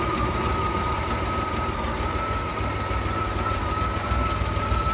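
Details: Freshly swapped replacement engine and new gearbox in a Ford F-series highboy truck, carb and timing not yet fully tuned: steady low rumble at idle with a faint constant whine and no knocking; runs smoothly and evenly, normal idle.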